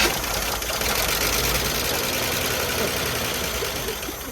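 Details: 1978 Chevy Malibu V6, sitting since 2002, started on fuel squirted into the carburetor bowl: roars steadily then tapers off as it starves; runs briefly on primed fuel, fuel delivery from the tank suspect.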